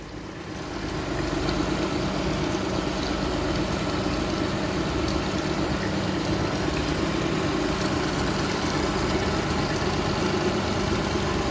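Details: Honda 50 hp carbureted outboard, 6-valve, idling on the fuel left after the hose is pulled; smooth, even burble at constant speed, no stumbles or misses. Misfiring begins near 4.5–6 minutes as fuel runs out.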